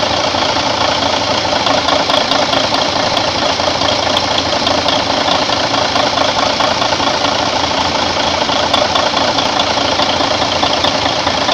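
Steady, even diesel idle with a regular beat and no knocks, misses or speed hunting; the engine is running healthy.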